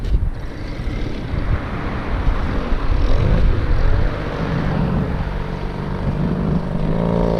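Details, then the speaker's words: Original Go-Ped Sport two-stroke that sat for over 15 years, choke off, dirty carb: it buzzes along steadily with a low, rough drone and no misfires or cutting out; it's running properly now. "That sounds like a live Goped."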